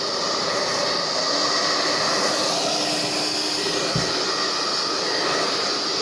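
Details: Formula 6000 Turbo hair dryer after cleaning a hair ball from under the loose fan that caused an odd noise; steady airy rush, even high motor hum, no scraping or rattling, now healthy.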